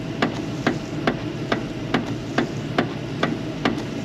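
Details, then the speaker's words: 1974 Buick Apollo, engine running smoothly: sharp, regular clacks a bit over two per second, one with each wiper stroke, over a steady hum; noisy windshield wipers. "Hear the noise those wipers are making?"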